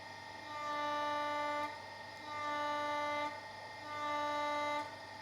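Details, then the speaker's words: Mercedes 210 power steering rack rebuilt after leak, knock and tight-then-light steering, on test bench with Servotronic valve powered: three even smooth hydraulic whine pulses, no knocks, turns easily both ways with pressure, no leaks; normal operation. "Вращается в обе стороны идеально, легко. Также давление дает в обе стороны."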